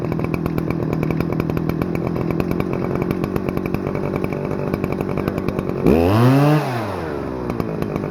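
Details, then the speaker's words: Stihl FS-250R 40cc trimmer after carburetor rebuild kit, high idle screw set at full throttle, 50:1 ethanol-free fuel; crisp steady high-speed buzz with clean rise and fall of revs, no stumble or bog; runs great, normal running. "Alright, well, it runs great. Boy, that thing revs pretty dang high. It is a 40cc engine, so I don't know if that's pretty big or not for a weed whacker, but it's a pretty good size."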